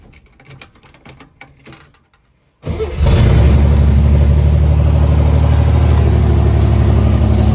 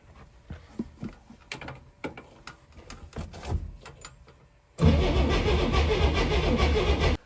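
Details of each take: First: 1964 Chevrolet Corvair running on gasoline for the first time: quick crank, catches at once and settles into a steady, even idle; earlier knocking gone, idle set a little high. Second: 1964 Chevrolet Corvair first crank, fresh battery: starter spins engine evenly but it never fires; no spark though coil had 12 V and tested good, fixed by cleaning distributor points.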